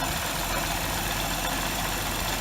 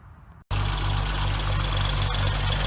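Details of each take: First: 2006 Hyundai Tiburon 2.7 V6, 6-speed manual, after replacing hydraulic lash adjusters, timing belt and water pump: steady, even idle with smooth low hum, about 90% of ticking gone; owner thinks remaining sound is injectors and throw-out bearing chatter; normal idle. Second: 2006 Hyundai Tiburon 2.7 V6 with a six-speed manual, after replacing the hydraulic lash adjusters, timing belt and water pump: steady light ticking about four times a second over an even idle.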